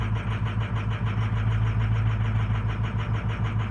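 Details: 2005 or 2006 diesel truck, 104,000 miles, cold start: uneven loping idle about three beats a second; power balance shows cylinder 2 weak; EGR suspected first, now suspected failing FICM starving injectors.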